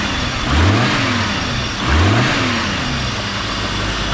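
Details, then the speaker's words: Audi S6 running after battery reconnected and 2 litres of concentrated coolant added with improved bleeding setup; two quick clean blips back to steady idle, no knocks or rattles, the earlier bad noise is gone. "Déjà, il n'y a plus le bruit de merde qu'il y avait avant ici."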